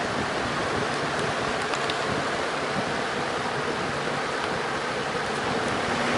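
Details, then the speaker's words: Junkyard Torcan box fan on high speed, uncleaned blades with dust buildup: steady even rush of air with no rattle, tick or hum; quiet, normal running though it moves little air. "You know what? This thing doesn't make very much noise, but it also doesn't move very much air either."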